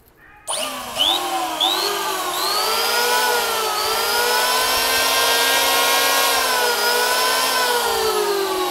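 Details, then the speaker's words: Makita 480 W tool, 100 V: motor spins up in a few surges to a steady high whine, holding smooth and even with no knocks or grinding; normal running. "chạy êm lắm Makita nó chạy êm lắm nhá nghe tiếng máy của Makita"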